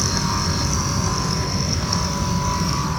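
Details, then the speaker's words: Car heater blower motor running: steady fan whirr with coarse fluttering low rattle throughout; already disassembled and not dirty, owner suspects it is wearing out and plans replacement. "that shit's making a rattling noise I don't know I'm sucking apart is not dirty enough there maybe it's just wearing out"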